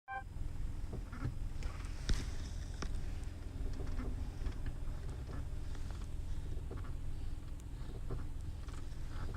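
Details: Car with automatic transmission, stationary with selector in D: low idle hum with scattered short creaks and ticks as the brake pedal is lightly eased and reapplied; source not yet identified.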